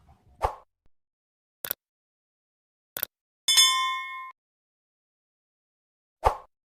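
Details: Digital multimeter on continuity range after beeper repair by re-soldering: a few probe taps, then one clean, steady beep of under a second when the leads touch; the continuity buzzer works properly.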